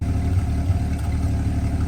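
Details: 1949 Studebaker Champion six at idle after being revived from storage, carburetor suspected to need work: low, steady, even idle with no misses or knocks over a couple of seconds; running smoothly.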